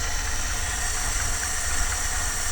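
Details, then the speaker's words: 1978 Dodge with a V8 at idle: dull low puffing under an airy hiss, an exhaust leak at the manifold; owner plans a new manifold gasket and bolts. "i can i can hear that exhaust over here"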